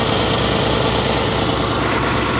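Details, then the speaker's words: 2000 Toyota Camry V6 at idle before test drive: uneven idle with irregular stumbles and lumpy shaking beat under steady engine noise; misfiring, not felt inside the car; check engine light initially seemed off but was found on. "Oh, it is misfiring. It didn't feel like it was misfiring in there. And the check engine light's not even on. Oh, she's definitely misfiring. This car is really really pissed off right now."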